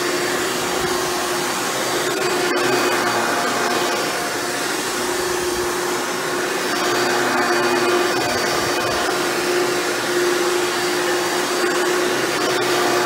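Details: Hoover Elite upright vacuum after a motor rebuild with new motor bearings, test run: smooth, steady high-pitched motor whir at one even pitch, no grinding or rattle; runs much better than when first acquired. Normal running.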